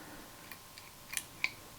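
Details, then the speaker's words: Mesa Boogie Bigfoot footswitch board for a Rev D Triple Rectifier, after chip replacement, in spongy mode: a few sharp single relay clicks as channels change, clean with no chirp or chatter; switching works perfectly. "no matter what it is, it works perfect."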